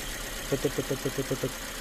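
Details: 2017 Toyota Vios automatic with vibration, rough idle and stalling, two P codes logged; idle uneven, hiccuping and shaking; misfire-type rough idle, cause not yet confirmed.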